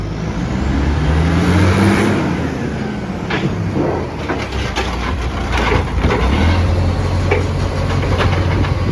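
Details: Garbage truck SL01400 in Mandurah on Good Friday, heavy diesel pulling away with a loud raspy roar swelling with throttle over street noise; massive exhaust leak.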